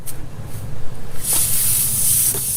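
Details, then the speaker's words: Toro Z-Master 3000 zero-turn mower tire after a long pin was pulled out of it: a loud, steady, sharp hiss of air escaping through the puncture, which had caused a slow leak. "oh yeah I hit a little something hey honey I hit a little something with the thing and you hear the air probably coming out"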